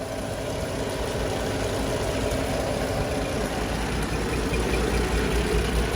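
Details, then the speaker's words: 1948 REO Speed Wagon truck, engine at low idle, heard near the muffler: low, quiet, even idle with soft steady rhythm, purrs nicely, nothing knocking or missing; healthy engine. "real quiet, purrs along quite nicely. Muffler there."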